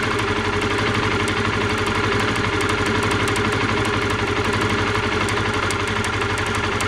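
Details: Honda CBR125R idling with a sharp, high-pitched ticking first heard while riding: spark leaking from the plug lead, found rusted inside; cleaned as a temporary fix, replacing the lead suggested.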